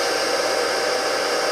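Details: Rebuilt single-phase 2 HP (2CV) high-voltage motor restarted from standstill, drawing thirty-odd amps inrush, then settling to 7.7–7.8 A unloaded: smooth, steady airy hum, no surging, rubbing or knocking; running evenly.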